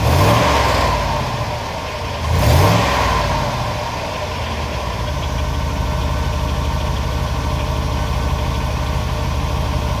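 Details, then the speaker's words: Chevrolet 2500 Suburban Vortec 6.0 V8, 269,000 miles, started cold after sitting; rattle began after a long trip: revs then settles into a loose, uneven metallic rattle and clatter; owner suspects heat riser valve, unconfirmed. "i don't know something rattling and clanging in there it's not so"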